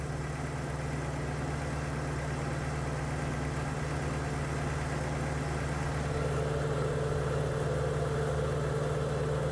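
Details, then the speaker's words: 1983 Porsche 944 project car at steady, even idle with low hum and cooling fan whirring before it shuts off; engine settled and no longer shaking, though owner suspects a slight idle air control valve problem. "And the edge is not really shaking anymore. And there it goes, fan shut off."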